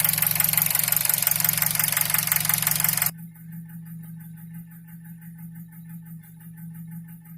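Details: 2003 Nissan Wingroad, QG18DE petrol engine, automatic, AWD, warm at 90°C idling at 700 rpm with oil pressure about 0.15 MPa (1.5 bar): sharp regular tapping about three a second that grew louder when warm; knock source still undetermined.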